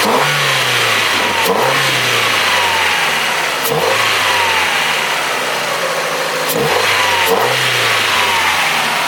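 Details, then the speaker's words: Old Ford after new injectors and throttle body, revved repeatedly: loud intake rush through the filter, each rev with a faint hesitation; a little stumble, owner suspects it may just need to adjust. "with the new injectors and the throttle body that the car is running better it seems to want more air is you can hear it through the filter it's definitely demanding more air well it's taking more air um there is a little stumble"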